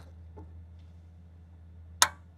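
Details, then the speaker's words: 3-year-old Chevy Equinox stranded in reduced power mode; faint hum then a single sharp click about two seconds in as the solenoid valve is commanded on; it clicks on but won't click off when commanded off, confirmed as the problem. "It clicked. That's on. That's off. It won't click off."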